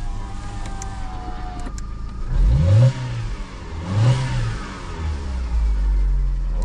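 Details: Fiat Panda 100hp under restoration, new thermostat and temperature sensor, radiator fan not cutting in: two quick throttle blips rise and fall smoothly from steady idle, no knock, rattle or misfire; engine sounds healthy.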